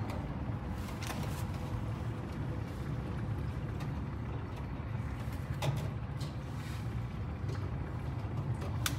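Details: D5 sliding gate motor closing by remote, before the magnet passes for full speed: steady low hum as the gate rolls, smooth with no grinding or knocking; normal sliding gate motor operation.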